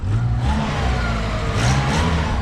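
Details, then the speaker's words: 1987 Pontiac Acadian (Chevette) after exhaust repair with a tightened flange: quick throttle blip rises and falls as a smooth, low, even drone with no ticking, puffing or rasp; exhaust sealed, much quieter. "is way more tolerable. It's gonna be a pleasure to drive again, and my exhaust won't fall off."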